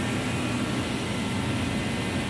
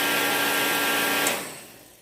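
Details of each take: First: Reddy Heater Pro 150 forced-air heater after nozzle cleaning/replacement and new fuel lines, previously failing to start: even, steady roar of fan and flame with no surging, sputtering or popping; running normally. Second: Reddy Heater Pro 150 heater after nozzle cleaning, new fuel lines and blown fuses: the fan whirs with a steady high hum and ticking igniter spark but never lights, then spins down. No fuel is coming out; fuel starvation.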